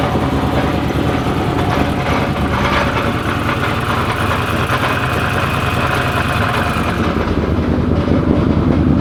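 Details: Twin-turbo methanol-fueled Corvette, roughly 2000 hp: loud lumpy idle with a loose, uneven metallic rattle from the torque tube. Bad at idle, clears up above 2,000 rpm; fuel and oil pressure good, no smoking.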